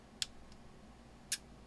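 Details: Elecraft K2 transceiver, incomplete kit at first power-up test, band switch tapped: two crisp, clean relay clicks about a second apart over quiet background as it steps to the next band; band relays switching normally.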